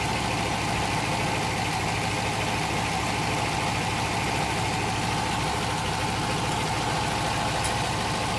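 Steady idle with a dense, even knocking chatter riding on the engine note; a rhythmic banging from inside, cause not known.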